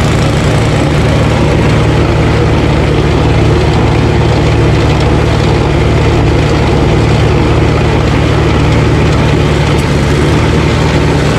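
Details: Ariens ST1128 28" dual-stage snowblower, 11HP Tecumseh Snow King engine, cold day, after carburetor cleaning and pilot jet fix for surging. Despite an apparently ~5HP carburetor, a loud, steady low drone holds an even speed with no surging: normal run.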